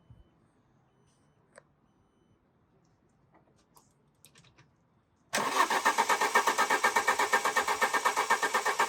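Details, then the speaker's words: Alfa Romeo 145 Cloverleaf after sitting 8 years, roughly 3/4 tank plus a jerry can of fuel: starter cranks the engine at an even four beats a second but it never fires; fuel pump found not delivering, pump being removed. "So, a bit of an update. We found the fuel pipe. The fuel pump isn't fuel pumping."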